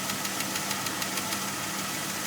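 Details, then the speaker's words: 2003 Jeep Grand Cherokee WJ 4.0, about 150k miles, idling not yet fully warm, oil pressure about right: light quick even tick, six or seven a second, intermittent and growing louder; owner suspects lifter tick, unconfirmed. "tick's gone now it'll come back in about 10 seconds five seconds back now it'll go away come back intermittently"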